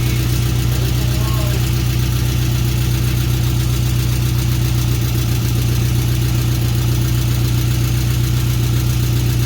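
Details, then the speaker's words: Volkswagen Beetle just restarted after replacing an oil pan broken by bottoming out (metal found in pickup): fast, even ticking clatter over a lumpy idle as oil pressure builds; exhaust leak also heard. "That's a little clattery. No."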